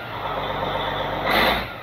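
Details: Caterpillar 3406C diesel in Cat 16H grader, abandoned about a decade and drained, started without starting fluid: steady even run, no knocks or misses, brief air hiss from air-powered automatic greaser; runs good.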